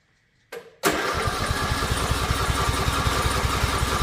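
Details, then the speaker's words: Lawn mower cranking steadily at about two and a half beats a second after the starter click, acting like it's trying but never catching; cranks but won't start, cause unknown. "It just does not want to start. And I don't know why it it acts like it's trying. You can hear all that all the noise it makes. It It's trying, but it's just not quite catching."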